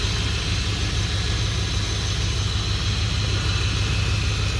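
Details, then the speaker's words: 2003 Dodge Ram 1500 5.7L Hemi 4x4 after a radiator replacement, started in about 20-degree December cold to check for leaks: steady, even V8 idle with a smooth low rumble, no knocks or misses; healthy. "all right just get the truck fired up I'm just gonna check for some leaks"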